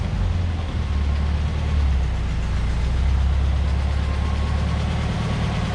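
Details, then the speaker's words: 1973 VW Beetle with new reman Bosch 034 distributor replacing Pertronix, pulling away from a stop in first with light pedal: steady low flat-four burble, no stumble or misfire; smooth acceleration. "First gear, roll out of the clutch, and it just pulls away. No stumbles, I'm barely on the pedal at all. And it just cuts right along, almost like it's fuel injected."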